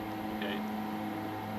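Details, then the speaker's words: 100 hp motor-driven pump running: steady even hum, constant low tone, no gargling or rock-like rattling (which would indicate cavitation from air entering); normal pump running. "listen for strange noises what you hear right there is perfect if you hear a bunch of gargling sounds or really like rocks are being pumped that's an issue"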